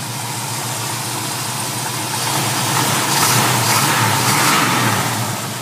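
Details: 1972 Dodge Charger SE with a 383 big block bored to 413, headers with cutouts running open exhaust, at idle. Deep, lumpy but even burble with no misses or knocks; runs good.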